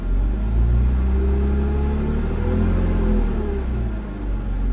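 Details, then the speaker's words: BMW Z4 after intake tube/boot replacement, under acceleration: a deep, even rumble with no whistle or hiss; the earlier turbo-like whistling is gone and it runs normally. "you don't hear that noise anymore that turbo noise that whistling"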